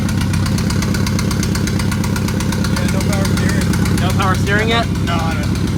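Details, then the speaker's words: Mazdaspeed 6 with newly built engine, first startup: lumpy, stumbling idle with uneven low pulse as one cylinder drops out; misfire because an ignition coil pack was not plugged in. "a coil pack was not plugged in when we did the first startup and that caused a weird-sounding idle"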